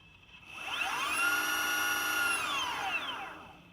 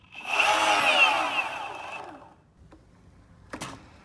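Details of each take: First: Healthy motor on a Boosted Stealth electric skateboard, spun for comparison against the clicking back-left motor: a smooth electric whine rises, holds steady, then fades; this motor sounds fine. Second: Boosted Stealth electric skateboard back left motor spinning up with a harsh, rattling clatter audible blocks away, fading on coast-down with stray clicks; wheel and bearings ruled out, motor blamed and a free replacement motor received.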